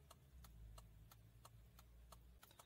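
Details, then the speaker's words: Fiat Palio, faulty BC body control module behind the fuse box: right turn signal clicks faintly and evenly about three a second, then the rhythm breaks, stutters and stops; hazards misbehave too. "eu ligo para o lado direito e ela começa aquele buscar normal depois paro"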